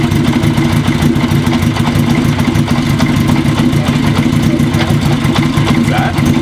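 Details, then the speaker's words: Kawasaki KZ750 first run on all four cylinders after new intake boots, having run long on three: lumpy, uneven idle with stumbles; compression good, believed to be a carb tuning issue; rough idle. "foreign doesn't seem to be running too happy on four cylinders uh as happy as it was on three but mind you it's been running on three for a real long time so that cylinders got to wake up a little bit"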